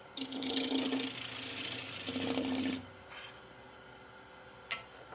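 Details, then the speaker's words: Norfolk Pine bowl on the lathe with an extremely thin bottom: hissing bowl gouge cut toward the middle carries a buzzing, pulsing hum as the very thin wall vibrates (chatter). "can hear the vibrations of the wall as I move the bowl gouge down to the middle of the bowl here. That means the harmonics in the spin is on a very, very thin wall."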